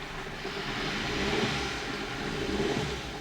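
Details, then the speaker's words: 1997 Nissan Almera/Pulsar N15, GA14DE, about 162k km, first start after about 9–10 years sitting, after fuel pump replacement and fuel filter leak fix: quiet, lumpy, uneven idle, running on maybe 2–3 cylinders; misfire, spark plugs suspected. "It doesn't run on all the cylinders. Maybe like 2. Yeah, that's due to the spark plugs, obviously."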